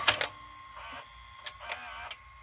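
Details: Sanyo VHR-H519 VCR, late 1990s or early 2000s, testing the brakes after rewinding an EP tape: a quick whirr, then sharp clicks and clunks as the reels halt cleanly; brakes stop normally.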